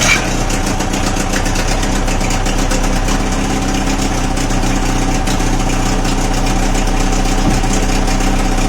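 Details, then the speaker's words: Old two-stroke outboard after fuel filter repair, left running a couple of minutes, steady idle with a slight uneven burble; more water now coming out but not running perfectly, cause unclear. "what say say that's all right I see more water coming out it's not running perfect"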